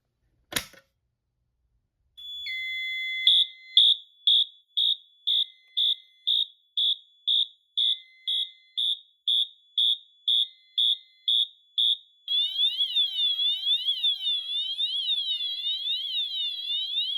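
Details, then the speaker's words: Notifier NFS-320C agent release demo, manual release station activated: fast pulsed pre-discharge horn, about two blasts per second, switches after a programmed delay to a continuous sweeping discharge siren. "When this is activated, there's a short delay on pre-discharge before the system enters discharge mode. This can be programmed for instant release, but for this demonstration it's on a delay."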